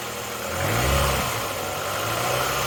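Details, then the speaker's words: 1993 Ford Mondeo Mk1 saved from salvage auction, heard at the tailpipe: steady, even idle with a soft low hum, no misses or knocks, no smoke; normal idle. "Well, that's sounding pretty good to me. That sounds perfect."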